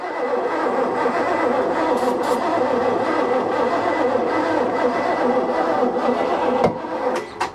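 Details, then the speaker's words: 1988 Bayliner Avanti 3250, one 260 HP 5.7 L Chevy 350 with OMC Cobra outdrive, sat 6+ years: steady cranking with ether but never fires, no spark; ignition points later found corroded with goop and burn marks. "i don't think there's all that gasoline it should have fired go no spark"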